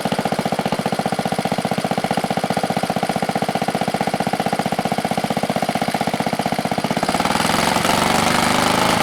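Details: 1970 Wisconsin BKN 7HP flathead single-cylinder engine, after sanding the points to fix a spark problem, choke partly off: it fires evenly about four times a second with a steady thump and no misses, then speeds up. Running properly.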